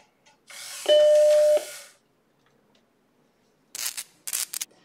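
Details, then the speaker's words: Sony 800k double-sided floppy drive from a Macintosh Plus after cleaning, lubrication and eject motor gear replacement: smooth, even motor whir of about a second, then a few light clicks as the disk ejects cleanly; normal eject. "so let me demonstrate what the eject sound sounds like after changing to a different gear"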